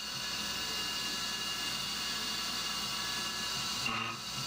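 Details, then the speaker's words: CNC roughing an AR15 gasblock at 1900 rpm, spindle override slowed from 2125: steady hissy cut with a thin, high singing tone; mild end mill chatter. "had the the spindle speed override already at ten percent but uh it's still a bit chattery so 2125 would certainly be more chattery"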